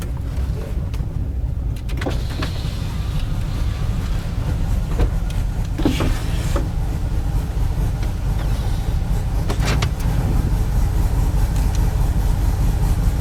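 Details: Drive-by-wire engine with a newly fitted throttle body, during a cold start logged on the VCM scanner: a choppy, uneven idle loping about twice a second. The cam was found too large for the stock induction.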